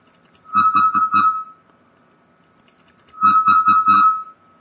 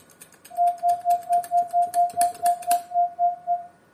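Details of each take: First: Linrad 05.00 software, audio generator into sound card, keying: two groups of four keyed tone beeps, each carrying a low rough hum at higher volume; artifact from IIR resampling filter lacking double-precision floats. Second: Linrad 05.01 transmit side, received on Linrad 05.00, audio-generator test signal keyed as dots after fixing an IIR filter (double precision) artifact; crisp mid-pitch tone in even dots about two a second, clean starts and stops, no buzz or chirp; clean output.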